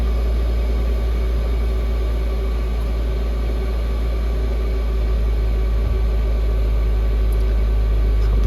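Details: Chinese Webasto-style diesel air heater in its cleaning cycle after switch-off, still blowing hot air, draw falling from about 101 W to 19 W: steady, loud rush of fan noise over a deep hum; normal loud fan during shutdown purge cycle.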